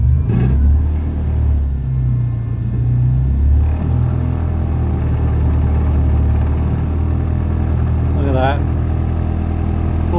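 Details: Toyota Sprinter (AE86) drift car just fitted with a quieter muffler, after a braided brake line fix: the engine catches and settles into a steady, deep low idle with an even exhaust burble and no knocks; sounds healthy.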